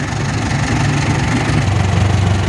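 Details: Toyota Dyna Rino 115 PS diesel after an alternator charging fix, still running with one battery cable disconnected. Steady, even low idle with no stumble or dip, which shows the alternator is charging.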